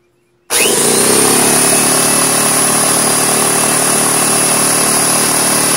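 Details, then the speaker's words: DeWalt 4.5-gallon air compressor after fixing a no-start by replacing the power plug: switches on into a steady, even high-pitched motor and pump drone with no stalling. Running normally. "so I'm gonna go ahead and turn it on and you can see that it actually works"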